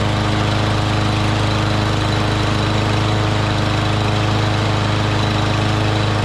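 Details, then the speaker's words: Craftsman push mower, previously running rough, started two days after about an ounce of deep-clean fuel additive went into the tank, without a carb clean: smooth, even single-cylinder drone at steady speed with no misses or surging; normal running. "That's awesome, because it was running rough a couple of days ago."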